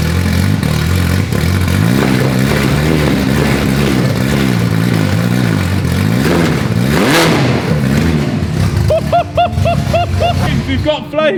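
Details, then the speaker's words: Ferrari F430 on its first start in over 7 years after an engine and gearbox rebuild, revved hard: uneven, lumpy revs with sharp popping and flames from the exhaust; spark present but timing wrong, at least on the right-hand bank. "you can see by the excess of flames that it is sparking at the wrong time"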